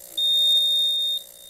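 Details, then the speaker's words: Apartment building elevator out of service since before Christmas: a loud, steady high-pitched fault alarm beep over a quiet room. Parts have reportedly been ordered. "This beeping noise residents can hear from the elevator area. And when they come to try to use it, you can see it's not working. And I can hear that beeping. It beeps loud."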